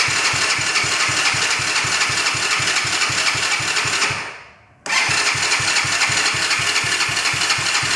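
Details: Broken quad bike after fixing a carburetor fuel leak and refuelling, key and kill switch on: starter cranks at an even four beats a second, pauses, cranks again, never fires; cranks but won't start.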